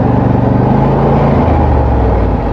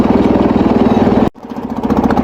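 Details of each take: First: Wheel Horse tractor with blades engaged, after earlier strange running noise, now running normally with blades at full speed, no known fix; steady low throaty drone with a brief rev dip that recovers smoothly, no knocks or rattles. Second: Wheel Horse tractor engine worsening under load; lumpy pulsing run that suddenly drops out and stumbles back, intermittent ignition cutout.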